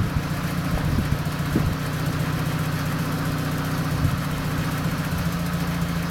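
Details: Mazda FD3S RX-7 with FSE fuel pressure regulator, idling: steady low honking buzz on top of running note; engine died weeks earlier, cause undetermined, owner suspects the regulator.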